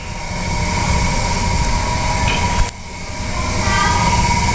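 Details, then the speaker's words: Yamaha NMAX scooter after makeshift repair of a broken intake resonator with a spray bottle. Steady, even idle with no rattle or hum from the intake; the snoring noise is gone and the engine sounds settled and healthy. "sekarang gak ada suara aneh lagi tinggal cek aja apa sudah aman atau enggak"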